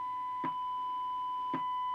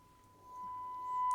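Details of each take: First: Siemens Super G7 radio, FM IF alignment check with a 10.7 MHz test signal and a 1 kHz tone through the speaker, clicks as the generator is swept. Judged by ear, the tone peaks near 10.740 MHz, so the FM IF stage is slightly misaligned and needs realigning. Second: Siemens Super G7 radio FM IF alignment, 10.7 MHz modulated test signal: clean steady tone about one kilohertz from the speaker without hum; IF chain and detector passing signal normally.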